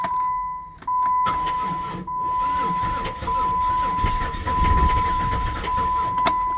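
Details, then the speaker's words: 2008 Dodge Nitro after timing belt work, third start attempt on a run-down battery being charged; starter drags slowly and unevenly about once a second without catching, though it briefly fired. Cranking too weak. "not enough battery but it fired I heard he fire up"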